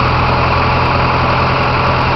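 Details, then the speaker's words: Carbureted Dodge 2.2 with Holley 5220 carb, air cleaner removed, idle raised a couple hundred RPM from 1,000 via the idle speed screw after rough idling; steady, even smooth low hum with no misses or knocks, normal idle. "I have increased it by merely a couple hundred RPM. It's idling good right now. It was idling at 1,000."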